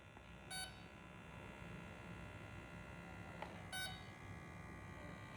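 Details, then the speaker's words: Dynam Messerschmitt Bf-110 RC plane during radio setup: ESC in programming mode gives two short sharp beeps about three seconds apart over quiet room hiss, one beep marking brake setting. "so you hear how it's beeping so the esc beeps one beep is the break"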